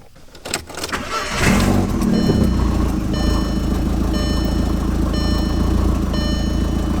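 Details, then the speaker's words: Daily-driver turbo car after fixing a boost leak found with a smoke tester: a brief crank catches cleanly into a steady, even idle with a dash chime about once a second and no weird turbo noises. An exhaust leak at the turbo bolts is still unfixed. "normal all right it runs no weird noises from the turbo perfect time to move on to the exhaust leak"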